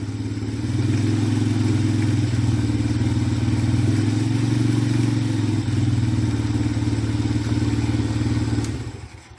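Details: SSR Razkull after a carburetor upgrade, choke off, idle screw being adjusted: a steady, low thumping idle of about four beats a second that eases slightly up and down; runs smooth and even.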